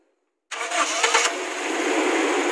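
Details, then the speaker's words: 2002 Toyota Kijang Kapsul LGX 2.0 EFI manual, petrol: starter cranks briefly with no problem, engine fires at once and settles into a smooth, steady idle; normal engine start. "ya staternya tidak ada masalah"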